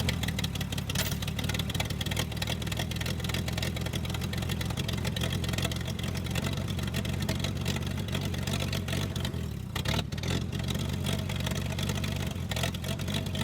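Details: Toro Parkmaster tractor, sitting for years, running after mud dauber dirt was cleared out. A steady, even low chug at idle with no misses or knocks: normal running.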